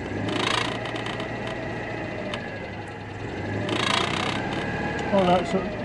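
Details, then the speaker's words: Citroen 2CV at idle: low uneven idle with loose irregular rattle from vibration, changing when clutch or brake pedal pressed, thought metal against metal. "I tried it seems to be coming from there and I can't fix it's there is it I think that there's metal just against metal"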